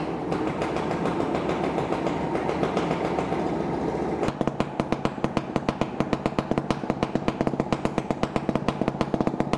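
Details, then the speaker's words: Stuart Turner P5M 2-stroke single-cylinder inboard from a 1958 Windermere launch, just revived, smoky: after a noisy start settles into crisp, fairly even popping about three beats a second; normal, healthy idle. "It's quite smoky, but it is a two stroke. But listen to that. That is really rather lovely."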